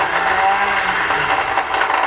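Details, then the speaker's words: 1977 Honda Hondamatic barn-find motorcycle, just started after long unused, carbs need adjusting: thin steady high whine over a weak uneven crank, whine holds pitch; whining noise of unknown origin. "don't know what that whining is."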